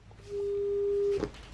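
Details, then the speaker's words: Frisk Fader Labs Frisk 7 portable turntable: a pure steady howl around 400 hertz rises for nearly a second, then cuts off abruptly as speaker sound feeds back through the platter into the tonearm, an acoustic feedback howl. "so I'm going to have to figure out a way to get this to not feed back like that"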